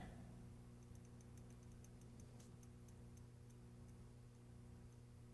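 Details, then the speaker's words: A thermostat-controlled heater powered through an isolation transformer, set to its lowest temperature: quick, light clicks over a low steady hum as it switches on and off, staying on longer when turned up; normal thermostat cycling. "there we go uh if i turn this up it should stay on a little longer and there it is"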